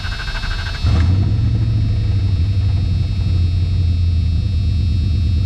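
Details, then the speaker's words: Dodge no-start after a new crankshaft sensor was installed, on a 97-degree day: a short crank, then the engine catches and settles into a smooth, even idle with no misses or knocks. Starts normally, though cranking was somewhat long. "All right, started. Doesn't sound too bad either."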